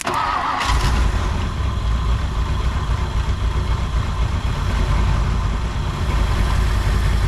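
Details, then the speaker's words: 1959 Ford Thunderbird 352 V8 started after 33 years parked: it catches and settles into a lumpy, uneven idle with a heavy low rumble. The accelerator pump is likely dead, and the carburetor needs cleaning and a rebuild. "It definitely needs, that carburetor definitely needs some work."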